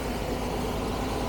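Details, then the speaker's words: Carbureted 1975 Jaguar XJ12 V12, no power, backfiring through a carb: rough, lumpy idle with no smooth pulse; one bank is cold, running on maybe three or four cylinders. "This whole bank is not running. You notice that by the smoke as well."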